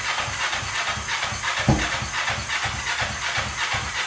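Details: 2003 Kawasaki Ninja 500R twin swapped into mini bike frame, just retimed, dual carbs, freshly fired on chokes: uneven low chuffing beat under heavy exhaust hiss; revs fine but idle too low, needs turning up.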